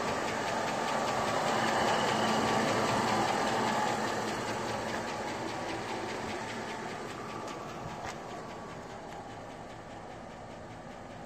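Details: Fully warmed-up 5.3L LS V8 in an '02 Chevy Avalanche after rebuild (Comp Cams camshaft, LS retrofit hydraulic roller lifters, trunnion-upgraded rockers), idling smooth at about 500 rpm, 50+ psi oil pressure on straight 30-weight: light, even valve-train ticking, the loudest sound.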